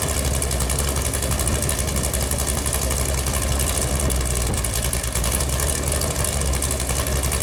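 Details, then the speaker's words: Newly built Chevrolet Performance 454 big-block V8 on an engine run stand, first start: deep, steady idle rumble with an even firing beat and no knocks or ticks, good oil pressure; target idle about 900–1000 rpm; healthy. "she ran pretty good sounds pretty good seems right now I'd like to idle around you know 900 to a thousand RPMs sounds like he's got a pretty good lick there"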